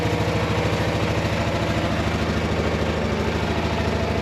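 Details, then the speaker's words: 1999 Polaris Sportsman 500 single-cylinder ATV after carburetor cleaning, no exhaust smoke, small fuel leak: steady, even idle with a regular low thump and no misses, surges or knocks; running clean. "it looks good sounds good I don't think it's smoking at all yeah no smoke coming out the tail yet"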